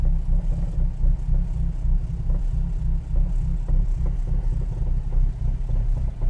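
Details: Ford XR4/ST150 at idle: deep rumble with faint, loosely spaced knocks, recently started, only at idle, seemingly from the front left of the car; cause unknown, owner asking what it is.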